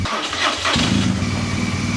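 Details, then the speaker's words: Triumph Daytona 955i project bike cranking after easy-start was sprayed into the airbox. The starter churns fast and even and catches briefly but never runs, a crank-no-start whose cause is unknown. "I mean I thought I did but I can't get this one runn"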